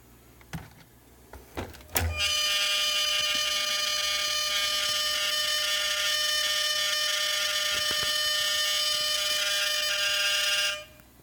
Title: Gimbal making strange noises on 3dr solo